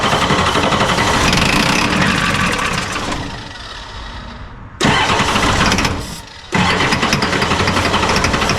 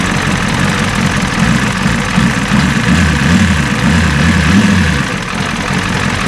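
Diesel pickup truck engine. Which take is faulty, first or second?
first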